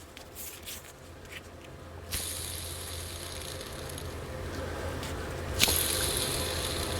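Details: Crankshaft bearing from a Dewalt DXCM601 60-gallon air compressor, spun by hand. The compressor fell over while running, starving the rear piston of oil. It gives a dry, gritty, ratchety rasp from rough races.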